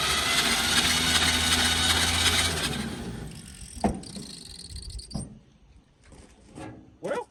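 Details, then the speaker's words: 1946 Chevy boom truck, sitting 35 years with the engine full of water and locked, soaked in transmission fluid and acetone, first cranking: starter churns loudly with a spitting pop as rusty water is blown out; the pop may be a ring catching a rust groove. "And that pop noise, I think, was it just shoving all that water and all the junk out of that cylinder."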